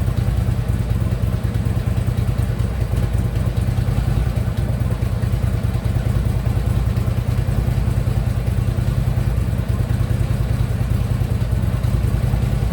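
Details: Harley Ultra Limited V-twin idling lumpy after a new compensator was fitted, which is now quiet; a dull, irregular knock from the lower end, roughly three a second, is checked with a stethoscope; cause unknown.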